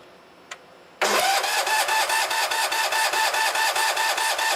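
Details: 1973 Sears ST 12 tractor, jump-started after a dead battery: silence, then the engine catches at once and settles into a steady, even chugging run with no misses; starts and runs normally.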